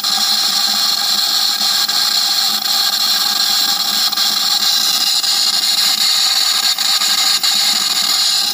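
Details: Nissan Pulsar at idle: constant hissing, high-pitched whine over a quiet idle, steady with no change in speed; source unknown.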